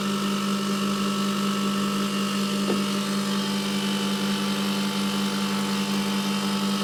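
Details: Milk-cooling condensing unit running after a new condenser fan motor and correctly sized secondhand blade were fitted, with the tanks empty while head pressure builds: a steady, even hum with a firm low drone and constant fan rush, no knocks or rattles. Running normally.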